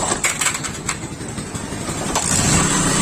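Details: Bajaj Discover 135 motorcycle, old model, self-start not working properly: rough, uneven grinding chatter with irregular clunks while the starter cranks instead of a smooth whirr; faulty starter motor with worn gear teeth.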